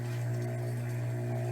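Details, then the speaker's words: Rebuilt Tsurumi 12-PN pump motor running after rebuild: smooth constant-pitch hum, no grinding, bearings healthy. "Nice, smooth, no grinding noises. The bearings are working fine. This is a sweet little motor, okay?"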